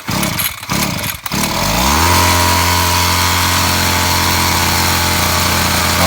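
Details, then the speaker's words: Brush cutter that previously died when throttled, after air cover refit and fuel hose check/priming: a few rough pops, then steady even high-speed drone without stalling or surging; now running normally. "ve makine tamamdır"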